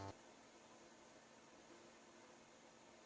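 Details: 2011 iMac after hard drive replaced with SSD and second drive: constant airy rush with faint steady hum; fans stuck at full speed because the controller cannot read the replacement drive's temperature.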